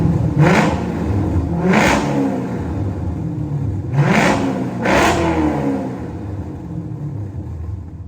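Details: C5 Corvette V8, rodent-damage rebuild finished: four quick rev blips, each rise clean and fall smooth, settling back to steady idle; healthy.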